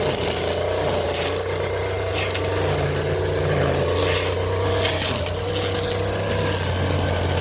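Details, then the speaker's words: New Stihl FS 56 RC trimmer on correct 50:1 fuel after 20:1 mis-mix caused 4–5 pull starts: small two-stroke buzzing at steady high speed, even, no stumbling or misfire; starts on one pull, healthy. "Now it's starting up with one crank. Right there it should start up pretty easy, you know what I mean?"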